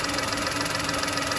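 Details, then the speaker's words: VW Polo with check engine light and code P0068, engine idling: loud steady hiss over the idle, engine tone changes when the crankcase ventilation pipe to the intake manifold is covered; vacuum leak at the breather pipe. "you can hear the engine tone change and I don't know can you hear that hissing sound take it in on one there from that pipe there that pipe goes from here in to the intake manone and that is the CRI case ventilation pipe"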